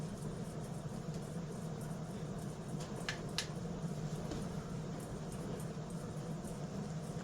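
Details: Emerson Casablanca Classic/Premium ceiling fan, model CF-528-2 (plain K55 brown), tested on its internal speeds: a soft, even low hum with a smooth steady spin and no rattle or knocking despite a switch housing that needs tightening; running normally.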